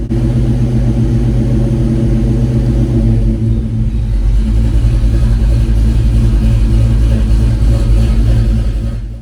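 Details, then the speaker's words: Ford Fox-body Mustang V8 on Holley Terminator X with idle target raised to 2,000 rpm: steady, deep, even fast idle at about 1,800 rpm with no hunting, showing the idle air control valve is working properly. "And it's doing exactly what it should. It's not getting quite to 2,000. It's about 1,800. But that's fine. That verifies that your IEC is working."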